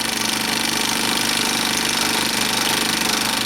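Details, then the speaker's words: Bell & Howell 2575 16mm Filmosound projector, side panel off, running in rewind mode without film: fast even clatter three or four times a second over the mechanism, not excessively noisy; needs two worn nylon gears, lower sprocket drive and worm gear. "It's not like it's excessively noisy. Then again, this is rewind mode."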